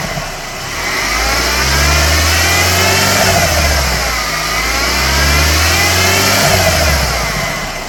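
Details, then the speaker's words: Whine from a 12-year-old Mercedes W212 E250 CGI wagon, M271 Evo 1.8 turbo four: thin whine over the engine rising and falling with revs; idlers, tensioner and belt already replaced, A/C compressor pulley bearing worn, new pulley fixed it. "Uh, and we are going to be trying to fix that today. Uh, I believe it is coming from the air con compressor pulley."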